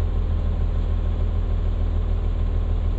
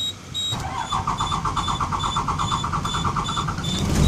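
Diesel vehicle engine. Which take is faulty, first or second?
second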